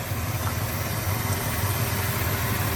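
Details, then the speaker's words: 1965 Plymouth Fury II 318 Poly V8 after the 4-barrel carburetor swap and coolant bleed: smooth, even idle with a soft regular exhaust pulse, revs up nicely, a little exhaust puffing and a slight fuel pressure dip. Normal idle. "Seems to be running pretty freaking good. Sounds good to me. Revs up nice."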